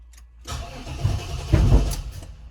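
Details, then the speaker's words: 1995 Chevrolet Impala SS, started after sitting in the garage about three weeks: cranking catches unevenly with two sharp heavy pops about half a second apart, no start; nasty backfire on start, owner suspects Opti, injectors or MAF. "NOP huh well then I don't think we're moving the Impala that was some pretty nasty backfiring it's a good thing it's sitting in the garage"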